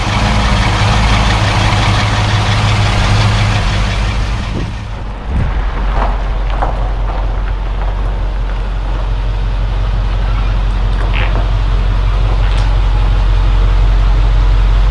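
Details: 1972 Mercedes-Benz 280SE 4.5 V8 just after a right-bank (passenger side) valve adjustment for slight tappet noise, idling at about 1,000 rpm, heard from outside: deep, even, smooth idle with no top-end tapping; valvetrain quiet and healthy.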